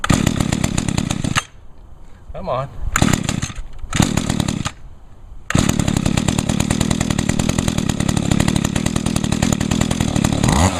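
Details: Mantis mini tiller with 21.2cc Echo two-stroke on 50:1 mix, choked and primed. A few pulls and sputters, then catches and buzzes at a steady, even pace: normal running, runs real good.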